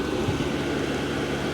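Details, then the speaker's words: Diesel heater fitted in a workshop shed (about £150) switched off via its button, running its own cooldown cycle from full power down slowly; even, steady whirring rush with low hum, no knocks or rattles; normal shutdown cooldown cycle. "so now as I say you turn it off and it will start to go through its own cycle um it'll stop it got full power then it starts to slowly run down"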